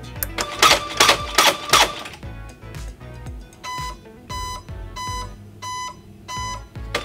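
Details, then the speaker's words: Motorized latch retraction exit device: after power is applied and retraction fails, it gives five evenly spaced mid-pitched beeps, the error code for failed retraction. "if power is applied and retraction fails uh you will hear 5 be"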